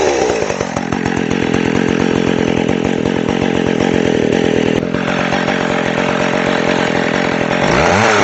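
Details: McCulloch Pro Mac 610 chainsaw on test cuts after clutch inspection and chain sharpening; pulls strong and even through the wood, steady revs under load and a clean rise after; running great.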